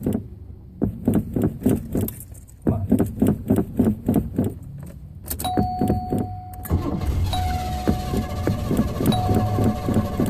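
Steady cranking at roughly three and a half beats a second drags on for several seconds before the engine finally catches: hard start.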